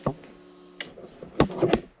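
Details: Off-road buggy being rebuilt, key turned on: steady low hum for under a second then a clean stop; electric fuel pump priming normally, giving about 50–55 psi fuel pressure.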